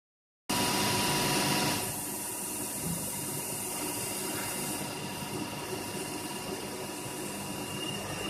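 Spindle runs with a steady hiss and several fixed whining tones that hold after it settles; unusual running noise, cause unclear.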